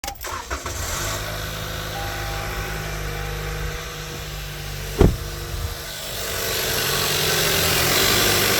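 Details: 2018 Toyota Camry petrol engine, cold start: settles into idle with light quick ticking under the steady hum that goes away; began at 30k and has worsened.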